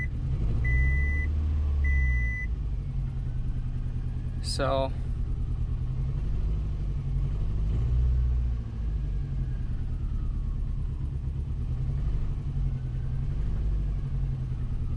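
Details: Subaru after new spark plugs: low uneven idle with lumpy stumble; misfire, loud clicking when injectors three and four unplugged; owner suspects bad injector or no compression on one cylinder, untested.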